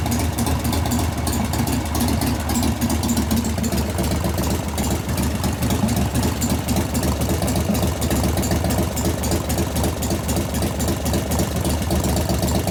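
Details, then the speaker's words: 1988 Harley-Davidson FXR V-twin during lifter and pushrod adjustment work: an irregular light ticking knock over a lumpy idle that grows louder as the engine warms; a hydraulic lifter knock. "as it's warming up it's making more and more knocks because donors are growing"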